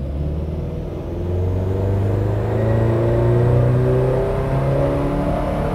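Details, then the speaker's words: Subaru WRX STi on aftermarket Haltech ECU with ignition dwell time set to 2.5 milliseconds, full-throttle dyno ramp run: engine note climbs smoothly with no stutter; clean run, 180 kW at the wheels, no misfire. "OK so that run there, 2.5 milliseconds, probably a little bit difficult for you to tell at home watching this webinar, but we had a nice clean run there, 180 kilowatts at the wheels and we've got no sign of misfire."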